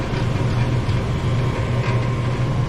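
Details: Furnace after replacing a seized draft inducer motor, completing its cycle and producing heat; steady, even low hum with no rattle, scrape or surging. Normal furnace operation.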